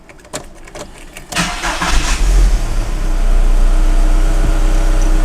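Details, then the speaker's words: VW Bora 1.6L AKL/AEH first start right after a timing belt replacement: brief cranking, then it catches cleanly into a smooth, even idle with no knocks or misses. Normal start and idle. "Sounds good. Sounds very good."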